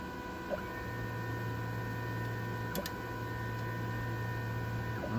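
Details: Sintratec SLS printer Z-axis after a stepper coupler fix and limit-switch repositioning: a steady low hum holds evenly as the bed drives down, with a brief click near the end; smooth, healthy axis travel.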